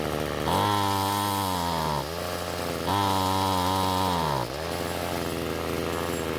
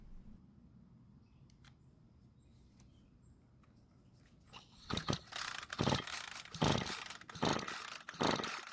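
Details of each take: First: Ryobi two-stroke trimmer that wouldn't start, after turning carburetor H screw counterclockwise for more fuel: revs cleanly to a high steady buzz twice and drops smoothly to idle without bogging; running much better. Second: Ryobi string trimmer that won't start but has good compression, with mixed fuel poured into the carburettor throat: silent at first, then it catches and buzzes in uneven bursts on the primed fuel only; fuel lines and carburettor were then serviced.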